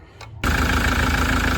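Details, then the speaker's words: Land Rover Defender Puma diesel after injector cleaning and new seals and copper washers: took a few cranks as the self-bleeding fuel system primed, then caught and settled into a steady, even idle clatter; normal start. "We um sorry you missed that but we started the engine. It took a few cranks to start it."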